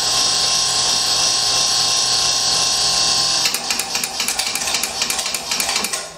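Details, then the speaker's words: Industrial glycol feed package pump run in hand mode on the GP control panel: a steady high whine, then rapid ticking about four times a second as added back pressure trips the pressure switch. This is normal cycling to maintain discharge pressure. "So, on off switch, and then I'm gonna bump it, hand, and you hear it clicking, trying to maintain pressure on it."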